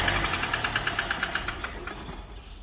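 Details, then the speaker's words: Hyundai i20 at idle: sharp, steady metallic knocking, several per second over the engine hum; failed oil cooler sent oil into coolant, engine ran without oil, connecting rod knock from oil starvation. "So இது கூட என்ன ஆயிடுதுன்னா, ஆயிலே இல்லாமல் வண்டி ஓடுறதுனால engine வந்து கொஞ்சம் நாய்ஸ் அதிகமாகிடுச்சு."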